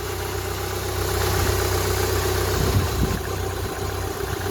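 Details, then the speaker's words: Rover 45 cold-started after weeks unused: light uneven metallic rattle at idle from the drive plate, expected to quieten; tappets silent after earlier work. "There's a bit of noise, as I say, from the drive plate. That will quieten down a bit."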